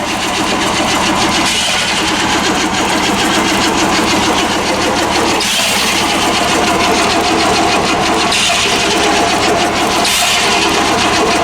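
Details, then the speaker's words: Plow truck with suspected bad fuel: steady fast cranking with uneven puffs nearly catching but not running; white corrosion found on plug/coil, owner suspects weak spark from coil; crank no start, almost firing. "So that'd be the result for the weak spark there. I just scraped that one right there and got it somewhat clean, but that could be part of the problem. So close to running."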